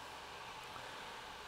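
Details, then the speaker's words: Nova3D Fastcure2 resin curing station in a quiet room: steady airy whir from its fans plus the turntable motor hum, smooth and even, yet noticeably loud for a quiet room; normal fan and motor running. "so it does sound loud granted when I've had it here and I've been doing stuff on it I've really noticed the noise it makes"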